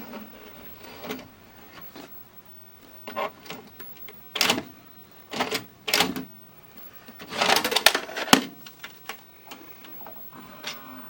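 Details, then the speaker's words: Admiral TV/VCR combo loading a tape: irregular clicks and clunks in bursts as the mechanism strains to pull the tape in, then ejects it; loading mechanism laboring, cause not confirmed. "Ooh, sounds like it's laboring. Yep, kicks it. It'll kick it out. Yeah, it's definitely laboring, and it tries to pull it in."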